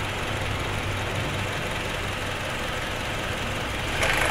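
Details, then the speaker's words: Honda CR-V second generation at idle: loose uneven rattle about four beats a second; oil pump chain hanging slack because its damper is broken. "nah ini karena ini patah jadi dia ngegantung tuh mau jatuh dan ini damper olinya"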